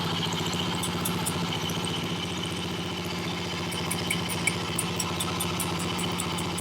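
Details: Honda CB77 Superhawk 305 twin revived after years off road, oil level checked: slightly uneven idle with sharp metallic ticks and a whirl; mechanical noise, suspected kickstart lever not returning fully, unconfirmed.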